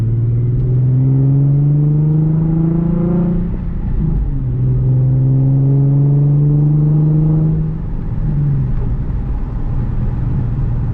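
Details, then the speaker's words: Z after headers and drag suspension install, driving: engine pulls smoothly through two gear changes with only road rumble, no scraping or brake squeal; normal driving. "Feels good. The ride's not bad. No, it's not. I thought I was expecting another noise, but it's good."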